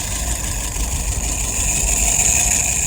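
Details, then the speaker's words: Restored WO carburetor on a 48 flathead after testing and adjustment, float set, no leaks: steady soft burbling idle at about 675 rpm, fuel pressure 2.75, vacuum 23, no misses, running right. "Idle RPM, about 675. Fuel pressure, 2.75. Look at that vacuum, 23. Excellent."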